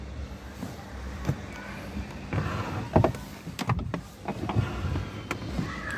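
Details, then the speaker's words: Renault car door after lubricating its door check latch. The door swings open with only soft clicks and thuds, and the earlier "tak tak" noise and creak are gone. "gibi arkadaşlar arabanın kapısından artık Ses gelmiyor Çünkü buradaki mandal Şuradaki mandal mız"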